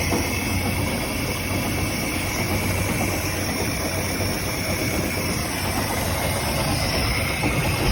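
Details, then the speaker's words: 1967 Chris Craft Roamer yacht, one of twin Ford 427 V8s, unrun about 11 years, extra fuel added: steady even low rumble, no misses, knocks or surging, idles fine. Normal running. "We got both motors running. The one that was locked up seemed to actually run better than the one that wasn't. It did need starting fluid, and it did have a lot more gas in it, but it idled just fine, didn't seem to give us any issues."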